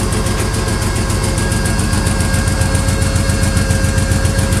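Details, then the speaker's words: Stale 1986 Lesharo RV V6 conversion on its first road test: lumpy uneven idle stumbling a little over twice a second, smoothing above about 2000 rpm; owner suspects ignition, mechanically sounds fine, cause not yet diagnosed. "you rev it over about 2000 everything seems to fire in and it actually rests smoothly but at the moment until that point i don't know so it sounds like an ignition issue at high rpm"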